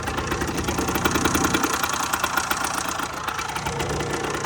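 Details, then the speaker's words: 2008 Rieju RS50 Matrix two-stroke, 6,800 km, after top-end rebuild, carb tuning still needed, some starting issues: quick even buzz at steady idle, no knock or misfire; normal running. "as you can see, it's going great. I still need to do some carb tuning, and yeah, that's it. We fixed this. Bike right now runs great."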